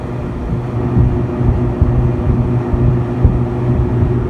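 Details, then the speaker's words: Freezer condensing unit at a six-door store freezer after repair, running for a while: steady low hum, constant tone, no rattling, chatter or cycling; pressures good and box cooling down, normal running. "okay so the system's been running for a while now just fool the pressures are good inside the box is cooling down"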